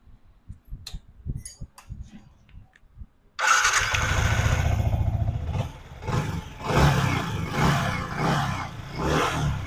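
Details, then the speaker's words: Yamaha R15 V3 single after replacing damaged rocker arm (exhaust valve side), valve clearances set and oil refilled; few clicks then even pulsing idle with no head ticking, now sounds like stock. Normal idle after repair. "we had got change in engine head noise now it sounds like a normal (stock)r15 s sound like this"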